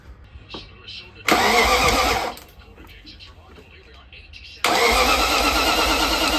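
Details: BMW E34 540i V8, first start after 2 years following a new flywheel and fresh clutch: short crank, then it fires and holds a strong, even idle with no misses or knocks; starts healthy.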